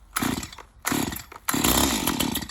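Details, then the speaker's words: STIHL MS211 chainsaw cold start on full choke: three rough pulls, the last catching into a brief firing pop before fading; normal full-choke pop, signalling time to move to half choke (warm setting). "Then you pull on it until you hear it want to start. You'll hear it kind of pop off a little bit, and then after that you pull it up to half choke, the warm setting, and then pull it one time and it should start."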